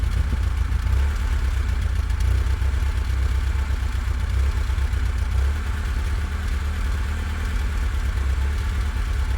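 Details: Lada Riva 1.5E with catalyst at tickover: uneven, lumpy, stumbling idle misfire from a vacuum leak, traced to a tiny leak in the brake servo to inlet manifold hose; replacing the hose fixed it.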